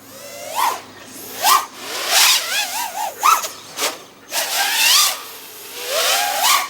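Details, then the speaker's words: FPV quad with Aokfly RV2306 2400kv motors on a 1300mAh battery, flying the old 2205 2500kv motor tune: motor whine surges and dips with a wavering, jittery edge; oscillation, suspected D-term, tune needs redoing. "so it sounds like I'm having quite a bit of oscillation I'm just using the same tune that I had on the 2005 motors"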